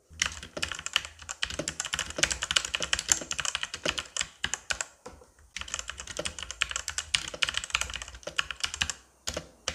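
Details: CosmicByte Firefly CB-GK-18 tenkeyless keyboard with Outemu Red switches, after lubricating stabilisers with Vaseline: crisp, even key clicks at a steady typing pace with no spring ping or space-bar rattle; the keyboard sounds healthy.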